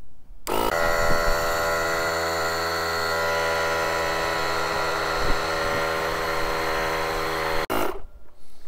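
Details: JF.EGWO 2000A 12V jump starter's built-in compressor inflating a tyre to just over 2 bar: steady buzzing motor hum with rattly piston chatter, even pitch for about seven seconds. Normal compressor operation.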